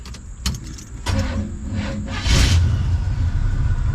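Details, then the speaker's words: A 1974 Chevy C10 dump truck, abandoned for years, cranks slowly and unevenly, labouring against compression without catching. The owner suspects the timing is too advanced, but this is not confirmed. "yeah it'll turn it definitely sounds like the timing is a little too advanced the way it's struggled like that but we can fix that much much more better"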